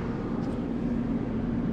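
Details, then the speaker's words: Two-pipe fan coil unit blower motor on medium speed drawing 0.9 A after repair of fan wiring giving incorrect speeds; even steady airy hum with constant low tone, no rubbing or ticking, normal. "I we should put on medium all right that's going to be a bit of a higher speed for"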